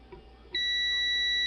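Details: Multimeter continuity test on the board of a discarded VENU-100 PA amplifier with no output; after a quiet moment a steady high continuous tone holds, showing the two points share common ground.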